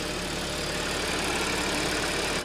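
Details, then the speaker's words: Audi S (bought 2014) idling steadily after repair, even hiss and hum; the earlier cold-start engine noise, a whooshing and gurgling from the timing chain and sprocket, is gone. "好像没那个声音了。没有那个声音了。原来那个是很响的嘛。对。就是哗哗哗哗的声音，也是这个链子的声音。"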